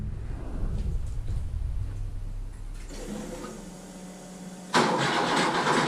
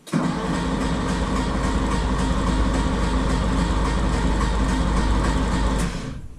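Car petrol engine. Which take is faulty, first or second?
first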